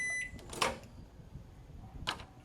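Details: Short high beep, then the door latch clacks open: Panasonic Style Grill NN-GT6845 microwave finishing a one-minute water-heating test normally after repair of a no-power, fuse-blowing fault.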